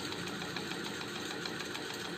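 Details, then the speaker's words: Ceiling fan running with a rapid, even clicking over its hum. The clicking stops when the fan is switched off and returns when it is switched on. The noise is not necessarily from the bearings, and the fix avoids replacing them. "तो देखिए वह आवाज जो खटकी थी वह बंद हो गई है चालू करता है वह आ जाएगी"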